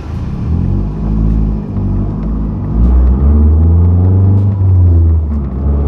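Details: 2008 Mazdaspeed 3 GT with a FWD 2.3 MZR turbo and a factory exhaust with the second cat and the muffler deleted; low, throaty rumble that swells with light throttle blips, no rattles or ticks, healthy.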